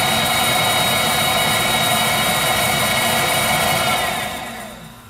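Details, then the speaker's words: Viessmann Vitodens 200-W WB2B35 condensing boiler, about 2011, about five years in service: burner lights with steady rushing roar holding evenly, then fades; healthy ignition, no banging, though boiler intermittently enters non-heating state without fault codes. "burner ignited operating [Applause] normally no problems"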